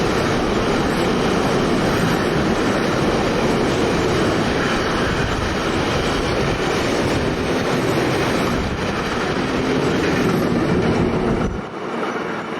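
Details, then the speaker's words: Freight train passing at Altdorf on the Gotthard line, coming from below: loud rumble with fast uneven thumping from the wheels; flat spots on the wheels suspected. "Fahrt, die von unten kommt. Das sind Flachstellen."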